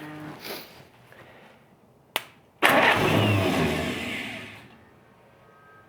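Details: 1947 Willys CJ-2A, low-compression engine unrun for 30 years after soaking cylinders in Mystery Oil: catches with a sudden roar, runs unevenly about two seconds, then fades; old engine firing up.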